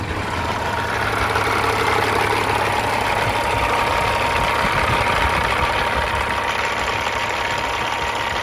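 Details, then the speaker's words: 1999 Freightliner FLD120 with rebuilt CAT 3406E engine (head, injectors, turbo, pistons, liners redone), 13-speed, warm after half an hour of running; even, steady diesel idle with smooth unbroken rumble, no knocks or misses; normal idle. "so it's been running for about a half of an hour I'm going to get it started up we'll have a listen nice sound of a kitty cat"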